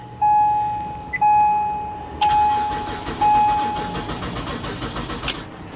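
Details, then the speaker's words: 2004 BMW 325Ci with 73,000 miles at an auction yard, lights left on: the chime pulses, then a steady three-second crank that never catches; no start, and old rotten fuel is suspected but not confirmed. "It sounds like it's trying, but I would almost be willing to bet the gas in this is rotten."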